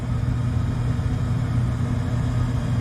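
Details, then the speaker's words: Furnace blower motor that needed a hand spin to start runs but not fast, with a low droning hum; the capacitor was also suspected, and the windings were found melted and fried, so the motor is done. "I mean, it's running, but not very fast. Alright, so this is the motor, and I don't know if you can see, but you see the windings, how they're all melted and fried in there."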